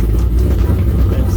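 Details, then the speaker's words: Chevrolet Tahoe swapped to a 6.2 L with cathedral-port heads, a TSP cam and a big throttle body, which was reluctant to start: a heavy, uneven rumble with irregular popping on start-up. Owner suspects the cam sensor is unplugged or wrong. "you heard it popping and banging around with the fire up um that tells me okay the cam sensor is probably unplugged or wrong"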